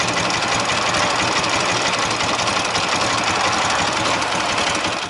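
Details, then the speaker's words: Ural motorcycle engine on a roadside stop during a trip, cylinders around 60-70 °C; quick, uneven light ticking at idle, about four per second; owner hears a foreign sound and fears the generator gear has come loose; source unconfirmed. "все равно какой то есть звук посторонний в районе 67 как бы не оказалось что открутилась шестерня генератора"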